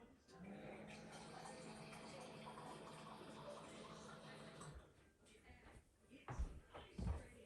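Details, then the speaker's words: Frigidaire refrigerator water dispenser after water inlet valve replacement: steady rush of water with faint low hum, then trickling; dispenser fills normally, repair worked. "So I want to go and I want to test out to see if the water is working."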